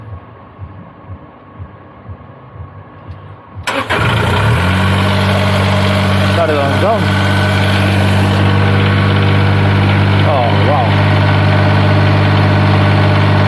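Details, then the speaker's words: 2019 Niftylift HR17N diesel with error 27 CAN bus fault: clicking, then the engine cranks and fires uncommanded at key-on and settles to idle with a constant whir as the starter stays engaged; cause was a blown fuse. "i just turned the machine on and engine started to crank and i i heard the starter motor is engaged"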